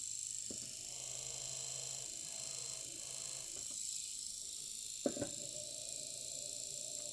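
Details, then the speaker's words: Small cooler fan, with rust inside, before oiling with sewing-machine oil: steady hissy high whir with handling knocks, loudest when touching something; noisy fan, cause unconfirmed. "So it's quite loud, especially if it's in contact with something."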